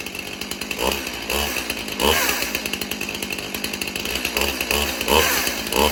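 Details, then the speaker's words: Stihl Farm Boss chainsaw (MS291/MS361 comparison), unused for a long time, chain on the wrong-pitch sprocket. At part throttle with chain brake on, a harsh rattly chatter rides the engine pulses; not held wide open to avoid damage. "You You hear You hear that loud noise? Do you hear that? That is the wrong sprocket that chain is setting on. That's why I don't want to hold it wide open because it'll mess something up."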